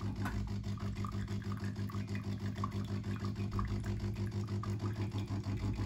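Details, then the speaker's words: DeLonghi coffee machine showing a red triangle error: rhythmic metallic grinding, about three pulses per second, as the brew unit drives to its down position; suspected worn main gear on the shaft that moves the brew unit. "in uh down position of the Brew unit it sounds very bad so if you hear such sound you need uh do action what I will tell you"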